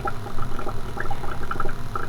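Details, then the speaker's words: Aquarium Easy Flow air lift tube on a tank: constant noisy gurgling with irregular bubbly pops and splashes; the air lift is loud and flows poorly, to be modified to improve water flow. "Easy Flow Air Lift tube here as I've done in another video you can hear it's pretty noisy and this one doesn't flow the best"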